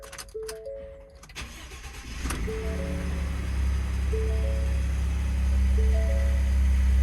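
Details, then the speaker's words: 2018 Ford F-150 at a government vehicle auction, 184,000 miles: short crank catches quickly and settles into a smooth, steady low idle with no knock or misfire under background music; normal healthy engine start. "Sounds good. Vinyl seats. Got the suicide doors."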